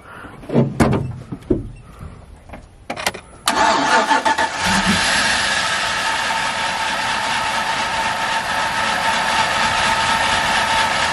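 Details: Chevy Z71 single cab truck, after replacing a suspect spark plug: catches after a few tries and settles into a steady, slightly uneven idle; running a little better but not smooth, cause not confirmed.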